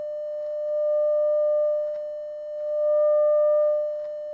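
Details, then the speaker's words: Telefunken Operette 8 tube radio, 600 Hz 100 mV signal into the pickup input, speaker as the 5–6 ohm load, not driven to clipping: a clean, steady tone swelling in volume with no hum, buzz or crackle. The amplifier works. "alright I'm not going to take it to clipping anything like that with the speaker on I might do that later with a dummy load so don't create some havoc with the neighbors but our amplifiers working a pickup input is working"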